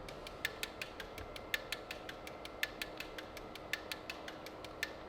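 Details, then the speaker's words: 12-rotor engine injector test, staged injectors: crisp even ticking about four a second in a repeating accented pattern, firing pairs across six rotors; no missed beats, every injector firing in correct order. "so what you're hearing is that it's firing six rotors and going back six rotors and going back but it's firing two at the same time in stage one is one of these stage two is the other one"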